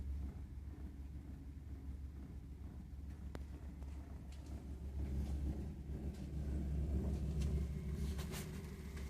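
Low, continuous rumble that swells gradually while the burner runs, with no clear rhythm; a combustion rumble from the boiler.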